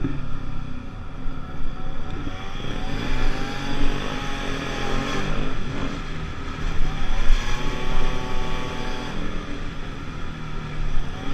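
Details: 50cc two-stroke Pulse Force scooter accelerating on a road test after a fuel-starvation fix, 14-stone rider, reaching 37 and still picking up: smooth repeated pitch climbs, no bog or misfire under wind roar; normal acceleration.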